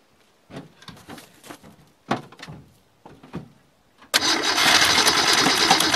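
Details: Ford Falcon sat all winter, battery put in, gas dabbed in, fuel cell: several seconds of uneven starter churning with gaps, then it suddenly catches into a loud, rough run; extended cranking before start.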